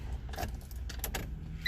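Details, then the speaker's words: 1989 Honda Civic DX, long-sitting car with a seized front brake caliper: at key-on the fuel pump whines steadily as it primes before cranking, working normally after a six-or-seven-year-old battery was fitted. "you hear the fuel pump running that's good"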